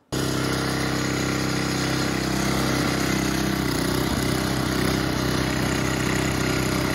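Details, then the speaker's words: Older Sears Craftsman snowblower, neglected and left sitting for years in a shed, had been leaking fuel; now started by hand and ticking over at a steady, even idle with no misses or knocks: normal idle. "all right real quick one more time let's uh let's start it up by hand all right there you go yeah so she was just floting when I leaned it back"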